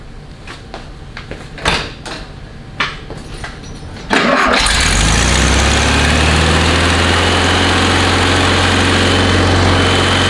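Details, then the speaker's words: 1969 VW Beetle catches to a loud idle with slight unevenness, skipping and coughing, and won't take full throttle; misfire from wrong-heat-range spark plugs, before fitting the correct plugs. "hear it sounds like it's running okay but it really is not running okay it's a little off you hear that does not want to full run won't let you go full throttle it's skipping all over the place starting and coughing"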